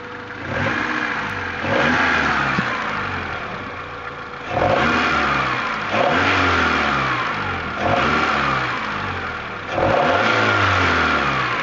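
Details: Honda F22A6 four-cylinder engine blipped repeatedly from idle, with a raspy, puffing edge from an exhaust leak; engine reportedly bogging.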